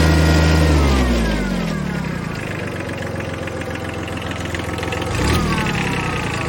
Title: Kubota B7100 HST rattling noise